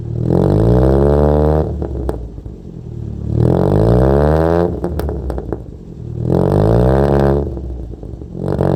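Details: Wrecked Toyota Corolla after distributor adjustment, throttle body still unfixed: three quick blips, revs climbing and dropping harshly, strained, no power at all, not drivable; ignition timing thrown off by distributor change suspected, not confirmed; coolant now circulating.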